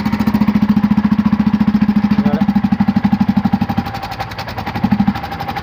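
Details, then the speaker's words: Bajaj auto rickshaw on LPG with low pickup, silencer removed and started: barely any air comes out the exhaust, weak muffled single-cylinder chugging about two beats a second; silencer filter found fully blocked with dirt on one side, restricting exhaust. "ಬರ್ತಾನೆ ಇಲ್ಲ ಗಾಳಿನೇ. Of ಮಾಡಪ್ಪ. ಎಲ್ಲೋ ಒಂದು ಸಣ್ಣದಾಗಿ ಬರ್ತಾಯಿದೆ ಗಾಳಿ. Filter block ಆಗಿರುತ್ತೆ."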